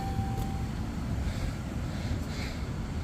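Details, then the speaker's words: 2013 Ram truck blower on high after a plugged AC evaporator was chem-cleaned, flushed and vacuumed: steady, even rush of air with no rattles, ticks or squeal. Strong airflow now, where before it was barely felt on high. Normal blower operation. "I know you can't, but that's on high and I can feel the air way back here at the back of the door, which is kosher by me."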